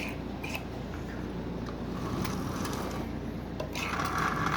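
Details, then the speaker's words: Marx 1666 toy train locomotive motor, likely not run in decades, oiled and running forward on the track: a dry, rough, uneven grinding whir from a stiff motor. Judged mechanically fine; it needs lubrication and running in. "alright power is on while this thing is really tight as you can see so runs forward"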